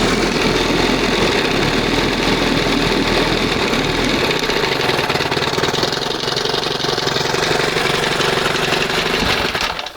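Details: 1971 20 hp Johnson two-stroke outboard, after dremeling the throttle cam: loud, rough running with irregular pops about three or four a second, running too lean; mixture later turned back slightly.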